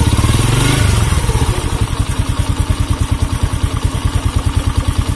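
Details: Honda C100 (Grand) motorcycle with rough engine noise and sluggish acceleration: small single thumping at idle with uneven coarse clatter each beat, about three a second; rough-running engine, cam chain and clutch being inspected, cause unclear.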